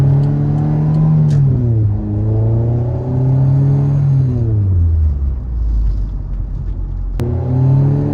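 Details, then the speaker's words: Late 1980s Honda CRX after a B18C Type R engine and transmission swap, replacing a failed B16A gearbox. Engine pulls cleanly through the revs and settles to a smooth, even drone; transmission sounds healthy, with only a slight shifter rattle, possibly from bushings. "Everything sounds a lot quieter than it did. I got a little rattle here in my shifter. Uh so I may need to tighten up some uh some of the bushings in there. But the transmission is working and sounding really nice."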